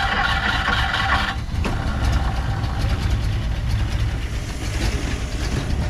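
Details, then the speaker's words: 1959 Plymouth Savoy after carb cleaner was sprayed in; the carburetor still needs a rebuild. Heavy, lumpy, uneven low rumble; it runs rough and sounds starved. Owner bets it is not getting enough fuel, unconfirmed. "I'm not going to mess with this for too long I'm going to give it a couple more tries [Laughter] that sounds terrible"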